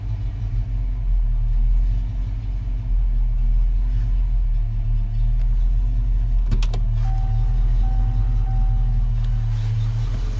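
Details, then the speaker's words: 1991 Foxbody Mustang GT V8, first start after Holley Terminator X fuel injection install, timing not yet reset: deep rumble with wandering pitch and uneven pulse; idle not yet settled. "okay let's give it a shot it's alive yeah baby we'll have to settle in the title a little bit"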